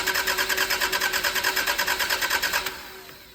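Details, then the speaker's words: 1990s Celica barn find that stopped running 10 years ago: the starter spins the engine evenly, about two turns a second, for nearly three seconds without catching. It smells of fuel and there is no spark. "It's turning over. And that's a fantastic thing. It's stinking of fuel. It's turning over without any particular issues, which is great."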